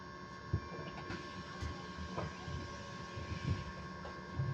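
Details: Electric bus (AL ES26) on route 64, heard inside the cabin: steady fixed-pitch whine humming over cabin noise and soft thumps, pitch never changing; source undetermined.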